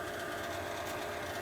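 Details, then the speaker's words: Old AC/furnace blower motor before replacement; capacitor replaced earlier but it is again noisy and overheating, soon locking up and shutting off. Steady whirring hum with a thin constant whine on top; noisy blower motor, bearing wear suspected. "as you can see, this is really noisy. In a few minutes here, it's going to basically lock up and go make a sound, and then it'll shut off completely."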